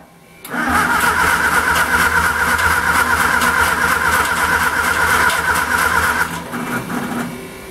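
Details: Homemade 200 A DC portable welder (WWII aircraft generator driven by a 1946 Austin Dorset four-cylinder pushrod engine), choke on, with gasoline poured into the carburettor: about six seconds of steady cranking with even compression pulses, never catching; owner suspects no spark.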